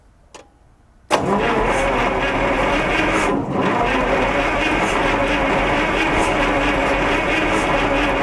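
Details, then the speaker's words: Onan 140 generator with 884 cubic inch V8, first start attempt: starter spins it at a steady, slowish beat without catching, oil pressure rising toward 20 lb; weak battery suspected of slow cranking or poor spark, timing possibly early. "I don't know if we're just not spinning her over fast enough for what maybe the battery voltage is dropping too low to get a good spark out of it"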